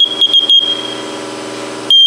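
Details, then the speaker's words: Faulty First Alert smoke detector opened on the bench; shrill alarm chirps in quick bursts, then a steady tone, beeping continually with no visible fault inside; cause not found, sensing chamber suspected. "I really don't see anything that would be causing that uh beep like that continually. Something is causing this to beep."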